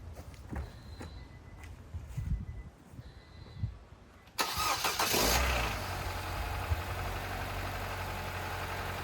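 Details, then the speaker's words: 2008 Nissan Versa CVT after owner's transmission repair, just started: cranks, catches and settles into a smooth, steady idle, with the earlier whine gone; normal idle. "Oh, this sounds really good. I think that whine went away."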